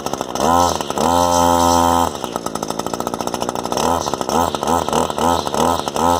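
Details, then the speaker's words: Echo SRM-260 string trimmer that would not start, after new carburetor, spark plug, fuel lines and fuel filter: small two-stroke buzzes up to high revs and drops back in quick blips, starting and running freely; needs only a slight carb tune. "I think with a quick tune of the carb, we'll have it dialed in. I'll call this one success."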